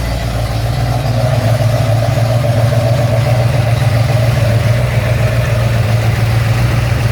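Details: Ford XC GXL with restored 351 V8, first start after rebuild, carburetted: deep steady V8 rumble at even idle, no tapping, misfire or knock; normal idle.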